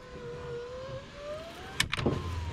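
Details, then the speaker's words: GMC Sierra driver front power window, intermittent fault: usually goes down about an inch then sticks and glitches, needing another press; motor hums rising in pitch under two seconds then cuts out with a clunk and rattle. Intermittent window stall. "typically it'll go down like an inch and then get stuck and then glitch and then i have to hit the button again"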